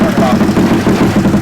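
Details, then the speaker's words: Koso 170cc big bore kit engine (Competition Werkes GP full exhaust, aRacer RCmini ECU) first start after checking fuel lines and spark: catches with a rapid, loud, popping exhaust beat, clean with no knocks or rattles; oil drawn down. "alright guys it started so we're good we're gonna fill up with some more oil it sucked all that dry"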